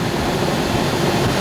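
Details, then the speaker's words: Central air conditioner outdoor unit after replacing the swollen, overheated capacitor that kept the motor from starting: steady even hum and fan whoosh with no stalling or buzzing; the unit starts and runs normally. "And all it was this capacitor."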